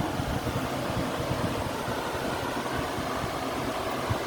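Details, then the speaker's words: Whirlpool air conditioner after owner cleaned it: compressor running quietly, smooth airy hum with soft steady low drone, no rattles or clanks; heat coming off it; normal operation. "And the compressor's pretty quiet. As you can hear, it's actually pretty quiet."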